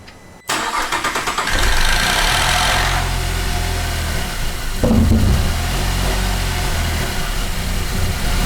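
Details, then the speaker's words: 2008 Cadillac CTS 3.6 L direct-injection V6, six months after a timing chain replacement: repeated cranking, then a rough, lumpy idle with uneven revs and rattling clatter from bad cam phasers; fixed by replacing all four phasers and the thrust washer. "here's what a bad cam phaser sounds like on an 08 CTS direct injection 3.6 l"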